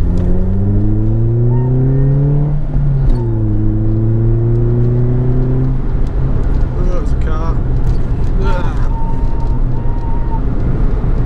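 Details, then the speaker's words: Ford Fiesta Mk5 Zetec-S pulling in second gear from about 20 mph; a clear whine climbs in pitch with road speed and resets on the lift. Owner suspects the gearbox, possibly the clutch. "Something's really not happy on this car. Can you hear that? I think it's my gearbox. Whining like crazy."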